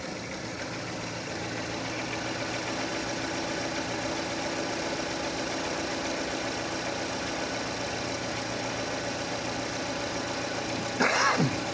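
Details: 2006 Renault Scenic 2, K4M 1.6 with automatic, 202,000 km, warm idle: faint irregular knock underneath at roughly three to four a second, coming from below as the engine heats; source unconfirmed.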